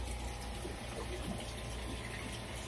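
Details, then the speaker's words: Sea Ray 380 Sundancer fresh water pump after installing an accumulator tank: even low pump hum under running tap water, steady with no pulsing or cycling; quieter and shuts off automatically when the faucet closes. "there it's actually a little bit quieter and watch when i shut it off it automatically shuts off it doesn't continue to cycle"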